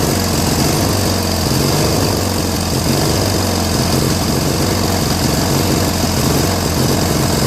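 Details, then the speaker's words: Briggs & Stratton 16HP opposed twin, a rebuilt trash find on a Murray garden tractor, first run after its missing carb jet was fixed: a loud, uneven idle rising and falling every second or so. Owner thinks the carb's idle screw needs more adjustment, since holding it helped. "So this was like surging a little bit, so this screw has to be adjusted a little bit more"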